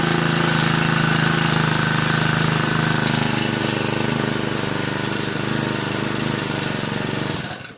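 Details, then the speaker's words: Brand-new Turbotech SD T35 4S four-stroke brush cutter after replacing a shorted ignition coil that had stopped it starting: even, steady idle buzz with a smooth regular beat, no stumbles, until shut off; running healthy. "दोस्तों जैसा कि आपने देखा इस machine का ignition coil short कर गया था मैं मैंने न्यू इग्निशन कॉइल इस मशीन में लगाया और मशीन स्टार्ट हो गया"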